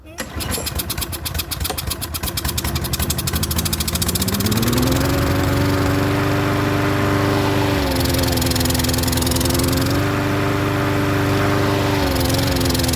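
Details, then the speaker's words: Troy-Bilt self-propelled mower with Briggs engine, primed with carb spray and full of fuel: several rapid pulls, not starting until seventh to ninth, then a steady hum that sags twice and wants to stall when tilted; clogged carburetor main jet. "you can see we're full of fuel and it still didn't start until the seventh eighth eight or nine poles and when i tilted it it still wanted to stall and run like crap"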